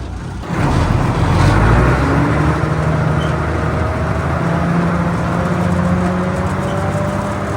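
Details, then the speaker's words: M5 high-speed gun tractor on a road test after its gearbox was refitted. The heavy drone steps down cleanly through shifts without flaring revs; gear changes are much smoother than before. "out on the open roads with her and we can safely say is a serious improvement with the gearbox. It actually changes gear really nicely now."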